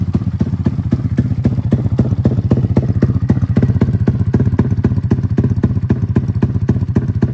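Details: Freshly built custom 300cc big-bore Honda Grom single with stroker crank and billet block, first running before dyno tune: lumpy pulsing exhaust beat about four thumps a second, slightly uneven; rough running, tune unfinished, still stalls when cold.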